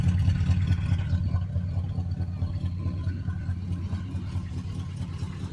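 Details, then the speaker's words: Oldsmobile "Sweet71" after a cold start, now warm enough that the usually high idle has dropped low: a low, even burble with a steady rhythm and no knocks or misses, recorded from outside the car. Owner says it's purring. Normal warm idle. "it's been a long time since she's come down that low she's purring here I'll get out let you hear she's purring listen to this listen to her purr she's happy"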